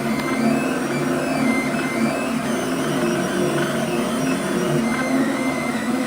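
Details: Flux 3D printer with stepper motors rigidly mounted to brackets on the base plate and rods: busy high-pitched buzzing and whirring carried through the frame; stepper motor noise, reduced by mechanically detaching the motors with Nema17 vibration dampers.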